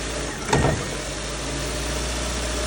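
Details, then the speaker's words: Lada Granta with knock from the right front when pulling away: over steady idle, one heavy thud as the engine rocks; engine mount found torn off, needs replacing. "хорош она просто оторвана вот и всё заказывать надо подушку"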